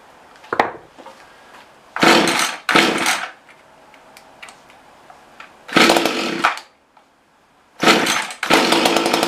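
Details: Mantis two-stroke rototiller that won't rev up: buzzes up in short bursts, then dies back each time and keeps stalling; dirty carburetor suspected, later attributed to bad gaskets.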